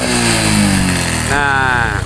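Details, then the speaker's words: Honda Supra X 125 / Karisma carburetted motorcycle, revved to about 3/4 throttle: revs climb then stumble into a choppy held-back stutter like hitting a limiter, worse at mid-to-high throttle; misfire traced to a loose charging-circuit fuse, not the carburettor. "saya gas kemudian panjenengan dengarkan suaranya nanti ada suara seperti RPM yang limit atau nahan"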